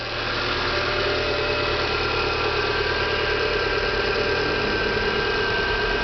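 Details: Renault Clio 1.6 16V idling after a new belt was fitted to cure a noise at the alternator pulley; a smooth, steady idle with an even hum and no squeal or rattle from the belt side. Noise resolved. Normal idle.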